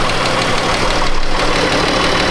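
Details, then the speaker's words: 2013 Chrysler 200 3.6 with an overheating complaint, idling with A/C clutch engaged: steady idle with an even whoosh of air and no rattle or surging. Both radiator cooling fans work properly; head gasket later found failed. "Okay, yep. We got both fans working. We're pushing air."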